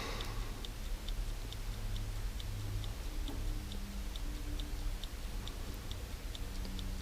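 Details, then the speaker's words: 1969-71 Lincoln Continental Mark III dash clock, serviced on the bench with points cleaned and run from a 12 V battery, ticks steadily a bit over once per second with a faint hum after rewinding itself; normal running clock. "The clock is running. You should be able to hear it."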